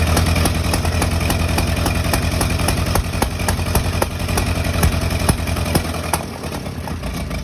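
Engine idling with an uneven beat and scattered sharp stumbles breaking the rhythm; sounds like it could be misfiring, cause unclear.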